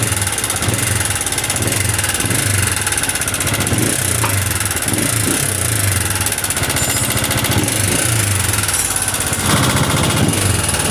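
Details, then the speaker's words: Honda CG125 single-cylinder idling: a rapid, busy metallic clatter from the engine body over the exhaust beat. The engine oil was found completely empty, as the bike had been run without oil, giving top-end noise. "Cylinder से आवाज़ जो है बिल्कुल भी नहीं ए रही और engine जो है बहुत ज्यादा आवाजें कर रहा है इसका"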